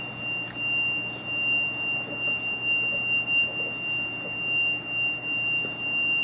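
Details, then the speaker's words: Electronic throttle body emitting thin, steady high-pitched whistle at one pitch with engine off, loud near it; initially mystifying noise, believed to be the electronic throttle body. "I was mystified by this noise, but I believe, in all honesty, and some of you guys probably already know this, that what it turned out to be was the throttle body. The electronic throttle body"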